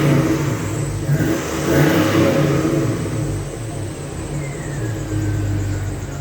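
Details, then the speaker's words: Newly installed Flowmaster muffler, revved while parked: deep, smooth growl that is not overly loud, and the muffler sounds healthy. "up yes it ain't all of that loud got a nice little ground to it"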